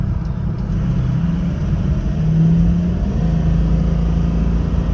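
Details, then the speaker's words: 2005 Ford F250 6.0 Powerstroke diesel with injectors fitted not long ago and a newer fuel pump, driving on the road: a steady, deep drone with no misses, knocks or surging. It runs good and the scan computer checks out okay, despite the rough-running, now no-start complaint. "runs good. Everything's checking out okay on our computer here."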